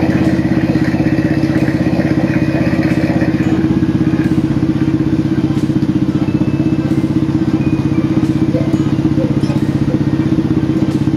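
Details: Old motorcycle engine after replacing the crank, its bearing and the piston: steady even idle firing about four beats a second, no knock or rattle above the exhaust. Normal running.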